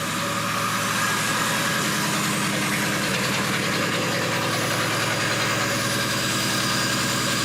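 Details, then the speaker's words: 1957 Chevrolet Bel Air V8, sat 15–20 years with a formerly locked-up engine, idling smoothly with a steady even lope after fixing a vacuum leak and retarding the timing slightly; sounds good. "It sounds good. The motor just needed a little tinkering."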